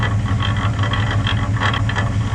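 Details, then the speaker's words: Nissan Patrol GU after off-road damage, with a snapped axle shaft; in first gear with the wheel off. Low, rhythmic metallic rattle keeps time with the turning axle as the unbolted brake rotor flops around. Loose brake rotor rattle. "know what that is i'm so stupid i know what that is because the wheel's not bolted on and the freaking rotor's flopping around yeah i just kicked it and it moved the road is just flopping around"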